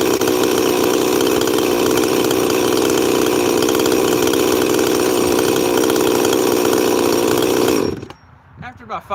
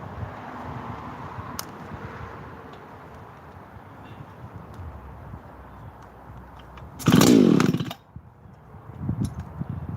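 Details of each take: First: 346 chainsaw, not run in a while, on a chilly day, set pretty rich: steady high buzzing run with a slightly blubbery, uneven edge before shutting off; rich-running mixture. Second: Husqvarna 288 chainsaw, run while heat cycling saws: burbles evenly at idle, then snaps up to a clean high scream and drops back smoothly; a healthy, strong-running saw.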